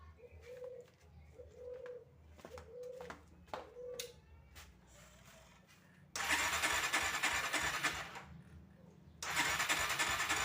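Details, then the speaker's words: Tiger motorcycle needing choke to start, misfiring (brebet) at low rpm: engine catches, runs rough a few seconds, fades and stalls at idle, restarts unevenly; cause found to be a counterfeit spark plug. "Oke Guys ini ada kendaraan Tiger ya keluhannya itu bbet di putaran rendah ataupun RPM bawah"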